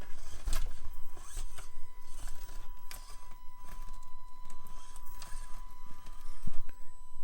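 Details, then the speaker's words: Axial AX24 1/24 micro crawler with stock brushed ESC, baseline crawl before Spektrum Firma 8A brushless swap: thin steady high whine near 1 kHz under crawling and scraping sounds; whiny stock ESC, jumpy lurching control. "don't know if that translates on camera, but the ESC in the AX24 is also very whiny. So optimistically we'll get rid of that noise as well."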